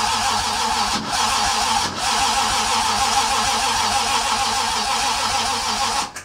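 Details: Toyota 2JZ engine, self-wired swap in a car unused for 10 years, first start attempt; starter spins steadily in long bursts with short pauses but never catches.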